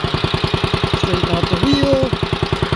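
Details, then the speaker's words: 1955 Wheel Horse Senior garden tractor, maiden ride, going down the driveway: even single-cylinder putter around ten pulses a second, no knocks or gear noise; smooth and healthy. "This thing just down the driveway is super smooth. There's absolutely no gear noise. I can't believe it."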